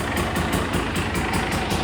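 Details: TE300 TPI two-stroke, first start after rebuild, cold start on, started in three kicks: crisp regular popping about five beats a second, steady with no misfires; healthy cold idle.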